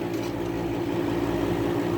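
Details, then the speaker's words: 1975 Climatrol air conditioner running in a garage (7.5 A unit on a 20 A breaker), grille resting on top: steady low hum with a buzzing rattle. Something is vibrating and the compressor looks bent; cause unconfirmed, restoration planned. "okay i take that back something else is vibrating"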